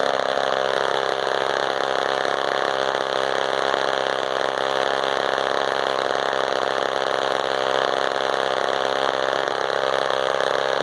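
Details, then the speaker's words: Frounteir Mark 1 chainsaw, a Husqvarna 35 variant, that only needed getting running: steady, even two-stroke burble at idle with no stumbles or surging. Normal idle. "So, I mean, I'm going to stick it in this log here, let you guys listen to this beauty idle for a sec."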